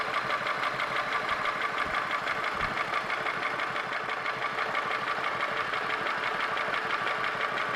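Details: Holden Commodore VY V6 (Series II Buick 3800 / Ecotec 3.8) at idle: sharp, regular tick about three per second over a steady idle. Owner asks whether it is lifter/valvetrain noise or bottom end (rod, bearing); unconfirmed.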